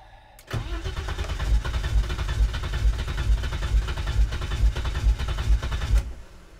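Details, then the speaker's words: 1987 BMW 325i (E30) being revived: steady starter cranking about two compressions per second for five seconds, never fires, despite spark, fuel and air; crank no start, crankshaft position sensor suspected. "okay what are we missing we have spark we have fuel we have air"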